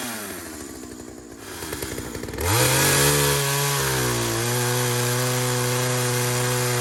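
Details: Poulan 2075C chainsaw, about 32cc with 16-inch bar, after carburetor adjustment-knob mod, cold start outdoors at about 15 degrees: catches, then settles into a steady high buzz without bogging or surging; runs properly.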